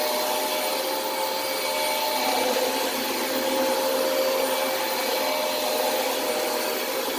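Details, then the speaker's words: Hoover vacuum: strained motor roar with a thin steady whistle, brush roll also noisy; not healthy-sounding, suspected choked airflow, owner recalls removing the HEPA filter previously cured these sounds. "so you can hear the sounds that it's making is not not super healthy sounding"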